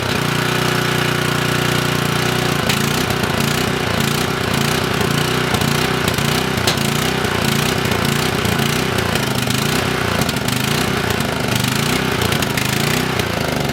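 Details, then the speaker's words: Coleman Maxa 5000 ER generator with old fuel, on choke: cranks and catches in rough, uneven bursts about two or three a second without settling; owner suspects junk in the fuel supply and plans to drain and clean the tank. "all right so we know that it fires over um more than likely it's just got a bunch of junk in there and the fuel is going to be an issue"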